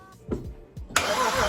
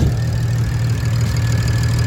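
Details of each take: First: Non-running BMW 335i cranking a few slow, uneven turns then a sustained soft crank that never fires; owner suspects low compression; cause unclear. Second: BMW 335i bought as a non-runner, first run after cranking attempts: steady low idle rumble with an even beat and no clear knock or miss; owner calls it not the best but idling fine, judges engine good. Normal idle.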